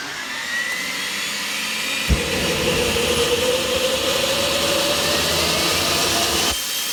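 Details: Rover gas turbine, not run for a while, KC-135 pneumatic starter: loud air rush, faint whine winding up about four seconds then cutting out without light-off; owner suspects electrical or high-pressure shut-off valve.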